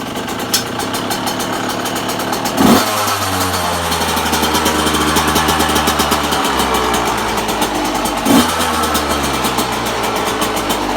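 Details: 1998 Yamaha YZ125 two-stroke, cold start in freezing weather on choke, blipped twice: hard rapid diesel-like rattle riding the idle; owner suspects a bad main bearing, unconfirmed.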